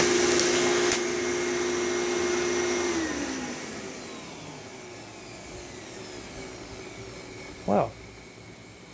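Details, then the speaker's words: Traded Thunder/Phantom bagless vacuum run for the first time: puffs out dust, then smooth even high-pitched motor whine with no rattle and a clean spin-down; motor sounds healthy, like new. "it still sounds like a brand new thunder it puffed out all that dust"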